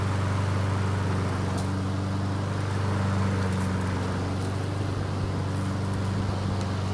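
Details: Honda HRN 216 mower after draining excess oil to correct level and manual fuel priming fixed no-start; steady, even buzz at constant pitch with no stumbling or surging; normal running.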